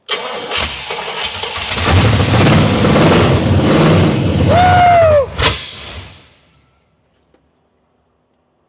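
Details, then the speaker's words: 1979 Pontiac Trans Am after fixing crossed plug wires and a distributor installed 180° out, timing still to be set: cranks, catches quickly, runs with a steady even beat a few seconds then shuts off, seemingly fuel-starved; normal running. "Man, she sounds good till she don't. But we can work with that."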